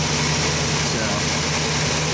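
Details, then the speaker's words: 2011 Ford E350 van after replacing serpentine belt, idler pulley and tensioner: steady, smooth idle, much quieter, no squeal or chirp from the belt drive; earlier constant front-engine noise at idle gone, normal idle. "what smooth that's a whole lot quieter and when it comes off idle should be nice"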